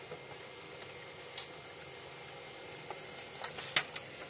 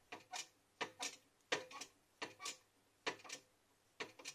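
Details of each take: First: 2012 Xerox WorkCentre 6015NI printer, about 4000 pages, after repairing a phantom paper-jam error (resistor replaced, mis-seated register spring): quiet, even feed whir with light ticks and soft clunks as sheets pass; normal printing. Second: 2012 Xerox WorkCentre 6015NI, about 4000 pages, with a phantom paper-jam error: quiet paired clicks and whirs about every 0.7 seconds, unevenly spaced, as the feed counts intermittently. Sensor and cables tested, sensor seemingly good; owner suspects the motherboard's sensor supply.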